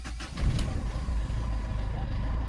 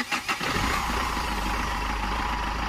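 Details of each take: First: Mahindra Xylo diesel, hard start from air in the fuel line (fuse section checked OK; engine had started then died): heavy cranking rumble surges and barely catches, then runs rough and low, vibrating and hunting. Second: Mahindra Xylo diesel after fuel-line air fix (no-start with cranking but not catching, engine shaking): short crank, quick catch, even diesel clatter settling into smooth steady idle; restarted after 10–15 second wait, starts cleanly, now runs solid.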